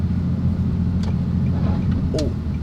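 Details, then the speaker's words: Nissan 370Z Nismo lowered on BC Racing BR coilovers, driving over small bumps: road rumble with scuffing chirps as the too-low front tire rubs the wheel arch; front needs raising. "we're going back home because we're rubbing pretty bad when we go on uh little bumps pretty sure is the front because i don't hear anything in the back the back wasn't that low"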